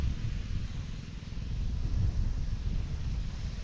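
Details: Repaired Predator 79cc 1-inch water pump, now with a fitted air filter, pumping rainwater at part throttle: low, even engine drone with some wind over it; runs smooth and steady.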